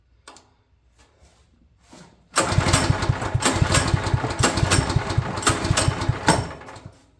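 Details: Champion generator that has sat at least a couple of years, with fuel found pooling away from the carburetor inlet, tried at varying choke settings: a pull gives several seconds of ragged chugging that dies away; won't start, carburetor suspected.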